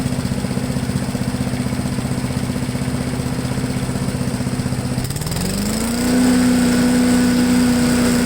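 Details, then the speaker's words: Honda 5HP engine on MTD Yard Machine push blower, sat unused 2+ years, now revived: even idle then revs climb smoothly to steady high-pitched full-throttle drone with no stumble or hesitation; normal throttle response, owner may add Sea Foam. "okay so it even throttles right up with no hesitation i'm thinking to just leave it alone"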